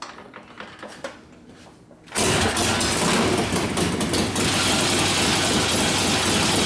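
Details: 1972 Harley-Davidson Sportster Ironhead bobber, first start after a second motor rebuild following wasted pistons and a torn pinion bushing. Quiet until it fires at about two seconds, then a steady, even, loud idle with no knocks or rattles.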